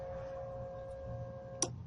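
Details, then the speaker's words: Mk1 Golf with swapped 1.8T AUM engine, fuel pump now wired through a relay that cuts the pump if the engine stops; faint steady electric hum and thin whine from the tank, then a sharp relay click; normal fuel pump priming. "that's the connect priming right there that's working"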